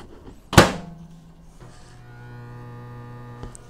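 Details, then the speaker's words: Cheapest microwave heating 12 ounces of water, powered from cheapest LiFePO4 battery via modified sine wave inverter: door thunk, then coarse, buzzy low hum, louder than usual, as expected versus pure sine wave. "i could hear that it is louder running through my inverter i i hear that is a normal thing when you use a modulated sine wave as opposed to a pure sine wave that your ac equipment is louder"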